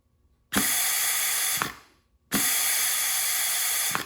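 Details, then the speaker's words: Mustang automatic transmission rebuild, clutch assembly air test with compressed air: two hard hisses with heavy escaping air, still leaking after the seals were moved; the clutch drum part was found not fully seated, and it held once it was twisted down another click. "not a whole lot of difference all right after planning out a little bit more what i discovered was that this was not fully seated"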